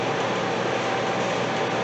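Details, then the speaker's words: 1983 Datsun 280ZX starter: steady even whir with no cranking or firing, starter spinning free; flywheel ring gear teeth chewed up, so it cranks in some positions and spins in others; likely needs new clutch kit. "we found our problem with the starter not engaging right the teeth on that flywheel are just chewed to smithereens which explains why it would try to crank in some positions and just spin in others"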